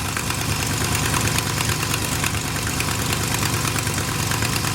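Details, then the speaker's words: Old big-block squarebody truck, neglected, idling rough: sharp quick ticking about three a second over the V8 rumble, leak visibly coming out; exhaust manifold leak tick. "Obviously has an exhaust leak. coming out of those right there."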